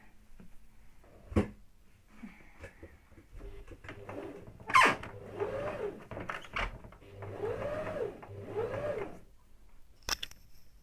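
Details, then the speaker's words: Sewing machine just cleaned and oiled, running lighter than before: short bursts of light, even stitching with a soft rising and falling hum and no catching or grinding; runs freely, normal running. "Өте жақсы. Кәдімгідей майлағаннан кейін машинаның жүрісі жеңілдеп қалды."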